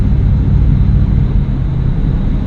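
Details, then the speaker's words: 1965 Mustang with about 49,000 miles, cruising: steady low V8 rumble with no whine rising with road speed and no clunks; driveline sounds normal. "I don't hear any drive line wines or noises or clunks."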